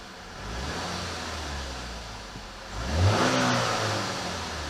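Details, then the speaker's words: Chevy Malibu after radiator stop-leak treatment, jump-started, AC blowing cold: soft even idle then one clean throttle blip rising and settling smoothly; engine responsive and sounds fine. "Sounds good. I mean, it's responsive."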